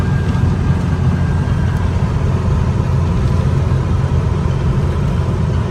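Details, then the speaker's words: Warm 1964 VW Beetle air-cooled 36 hp flat-four at idle after a drive, at operating temperature: steady, even, super smooth low rumble with no misses or knocks; runs great. "once it really gets up to its operating temperature man it this thing runs like a pickle seater is just fantastic it just super smooth as you can hear at idling just just great"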